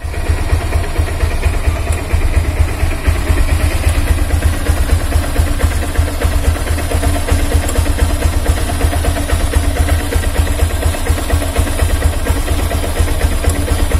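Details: Honda Hornet 160R after its engine noise problem was repaired: steady low single-cylinder idle with an even, soft pulse and no ticking or rattle; engine sounds healthy.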